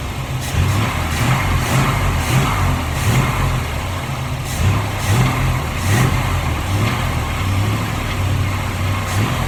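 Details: 1947 Ford street rod V8 first start after reinstalling the intake and distributor, timing only temporarily set, cold windy day: deep, lumpy rumble settling into a steady idle with even low pulses; fired and keeps running.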